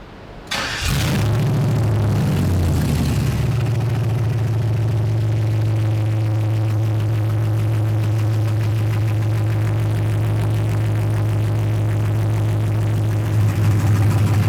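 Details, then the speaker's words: 1984 Chevy C20 Squarebody service truck, freshly LS-swapped, first start on base tune with VATS off, oil pressure 40 psi: engine catches and settles to steady idle with a constant whine over it; power steering pump whining. "the oil pressure 40 pounds of goodness power steering pump's yelling at me"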